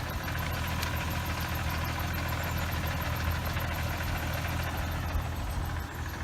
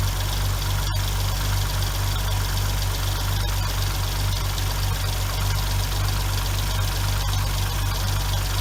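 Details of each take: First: 2006 Hyundai Tiburon 2.7 V6, 6-speed manual, after replacing the lash adjusters, timing belt and water pump: steady, smooth low idle with the clutch pedal held down. Throwout bearing chatter goes away completely with the pedal pressed. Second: 2006 Hyundai Tiburon 2.7 V6, 6-speed manual, idling: steady light tick about four a second from hydraulic lash adjusters clogged and not oiling; fixed by replacing adjusters (plus timing belt, water pump), removing about 90% of the ticking.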